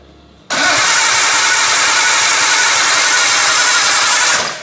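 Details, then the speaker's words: Restored barn-find R32 Nissan Skyline, low kilometres, first crank after rebuild: strong, even, rapid whirring crank about four seconds without slowing; normal fast cranking from healthy starter and battery. "dude that is it cranks it cranks so fast it's actually no lie these batteries are insane"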